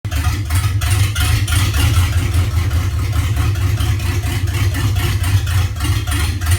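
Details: LQ4 V8 at idle with a deep, uneven, lumpy, loping beat instead of a steady hum; rough idle, cause not evident.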